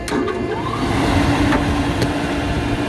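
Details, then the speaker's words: Kitchen fan running: steady low drone with a buzzing hum, a noticeable vibration while it runs okay; cause not yet found. "running it's got a nice little vibration to it but it's running okay"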